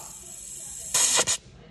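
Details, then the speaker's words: Oxy-propane torch with a number five tip melting platinum: a sharp steady high hiss as the oxygen is increased; hissing indicates a correct melting flame, without it the metal won't melt. "you could hear a hissing me here hissing if it's not hissing you're never going to melt the Platinum"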